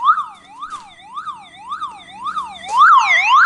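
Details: Old car alarm siren gives a loud rising and falling wail, about two sweeps a second, after its wires are cut, powered by its own internal backup battery; owner is removing it.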